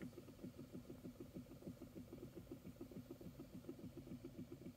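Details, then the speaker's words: 2012 Chevy Equinox old blower motor at high fan speed; steady low clicking about three per second. The motor sometimes fails to turn on, with a burnt motor smell from the vents; worn brushes, and the blower motor needs replacing. "other times we turn it on and we hear this terrible noise and that's what it's doing right now so if I turn this fan speed up okay you can hear it making a clicking sound"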